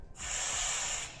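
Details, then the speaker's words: Firefighter's air pack regulator, red purge button pressed after switching it on to check it works: sharp steady hiss of air under a second, stopping cleanly; purge working normally. "okay so what this little red button does is it'll blow some air out of here to make sure that this works"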